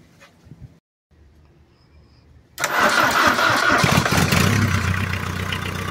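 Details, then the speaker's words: Ford Fiesta 1.8 engine after refitting loose alternator screws, new alternator belt and topping up a litre of oil: cranks, catches and idles evenly with no previous ringing or plastic-contact rattle; noise fixed. "bueno vemos Que arrancó quedó bárbaro no hace ruido no hace como antes que hacía un ruido a campaneo ni tampoco el ruido que hacía tocando lo que es plásticos y demás"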